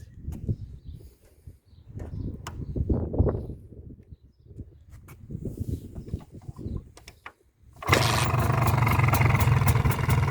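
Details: MZ ETZ 250 two-stroke after clutch and primary drive replacement (new gear set, 68-tooth wheel, 0.92 mm backlash): fires after handling noise and settles into steady even idle without obvious clutch-side clatter.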